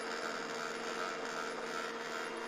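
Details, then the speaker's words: HP LaserJet 1200 with green light on: steady motor hum with a faint whine runs continuously and the printer never reaches ready; faulty laser scanner unit, replacing it fixed the problem. "всем добрый день на ремонте принтер hp laserjet 1200 с неисправностью постоянно гуллит не входит в готовность лампочка зеленая горит"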